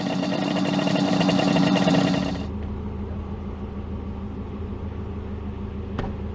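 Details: 1968 Yamaha 180 two-stroke twin, bought unseen, cleaned barrels, compression 90 psi both sides (up from 40): ragged, busy crackle settling to a steadier, quieter run on both cylinders; runs normally, blowing black smoke.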